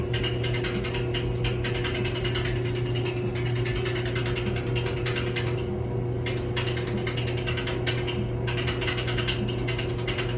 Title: Dryer making a weird noise